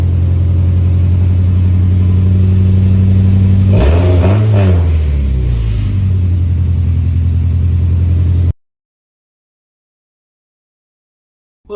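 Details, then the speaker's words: 2001 Honda CR-V RD1 after welding the exhaust: steady low idle, then a quick rev rising and falling cleanly, deep smooth note with no rattle or leak; normal after repair. "But hey, it should hold at least and quiet this thing down pretty good till I decide to completely go through the exhaust system."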